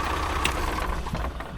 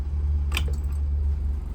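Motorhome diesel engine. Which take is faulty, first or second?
second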